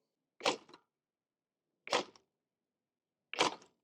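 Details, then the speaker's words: PuckiPuppy GoldenR AWD full-suspension ebike dropped in kickstand test: three dull clunks, one per drop, rear rattle remains; clunk not all kickstand, partly the whole setup, possibly reduced by improving kickstand. "So, when we were off-roading and making that clunky noise, uh I think you can reduce it by like improving this kickstand or or getting something different."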